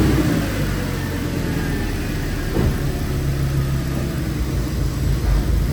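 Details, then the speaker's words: Audi S6 with 118,000 km, stood for months, driven after checking a clatter from the steering area: steady low rumble pulling away smoothly, no clatter or knock; steering clatter gone, wheel slightly off-centre left. "Jo, klappert nicht mehr."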